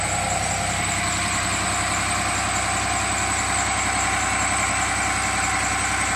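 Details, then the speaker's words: Cummins 6.7 turbo diesel test engine on HythanolPLUS fuel, brought up to about 1280 rpm to check for issues, no smoke: even, steady diesel clatter at raised speed with no knocks or misses; sounds healthy. "let's get us more up to power and see if there's any issues running at 1280 rpm no smoke could be seen"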